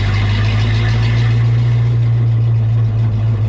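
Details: 1932 Ford Coupe with Oldsmobile J2 engine on first test drive: deep steady drone holding a fast, even high idle with no dip; owners suspect idle setting or clutch not disengaging, possibly needing clutch adjustment, unconfirmed.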